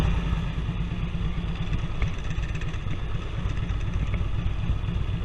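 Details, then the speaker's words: Harley touring V-twin idling hot after new exhaust pipes fitted without joint gaskets, choke used to start; steady lumpy idle with even low thump, no ticking or puffing at pipe joints, no exhaust leaks. "It's nice and hot, no leaks. I thought I'd just double check where the pipes go together since I eliminated those gaskets, and no leaks. So far so good."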